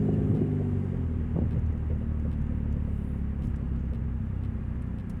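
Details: 2000 Nissan Altima driving at steady highway speed: deep, loud exhaust drone over road noise, quieter off the gas, from an exhaust leak at the braided flex pipe; before repair.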